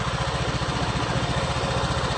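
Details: Honda Vario 125 LED scooter with total electrical failure, started with a jumper bypassing the ignition switch; ignition switch wiring suspected: even quick putt-putt pulses at a steady idle, normal.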